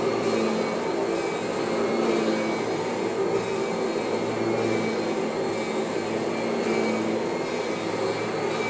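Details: Kirby vacuum: an even motor hum with only a faint trace of transmission whine left. Most of the original whine is gone and the drive sounds normal.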